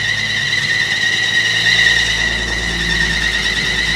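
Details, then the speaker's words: 1950 Chevy truck, long-sitting, first start after fuel system replacement and carburetor cleaning: loud steady high-pitched squeal constantly over the idle, no fuel leaks; alternator belt squeal. "Is that the alternator squealing? Yeah. It's running great, other than the alternator squeal."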